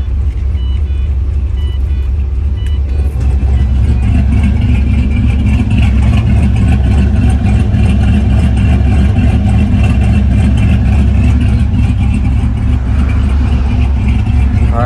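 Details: Engine with timing corrections changed (about 3–4 degrees added on underspeed, removed on overspeed), fuel use 0.8 gal/h, cutout closed then open: loud, uneven loping idle with heavy low rumble about every quarter second.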